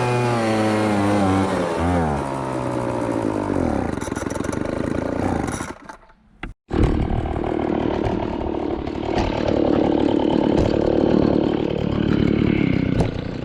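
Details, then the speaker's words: MTD Bolens BL125 two-stroke leaf blower after a carburetor repair for no-start and bogging: revs up and down cleanly with no bogging, drops out and restarts into a steady roar; running perfect under throttle. "unning perfect now let's try her out"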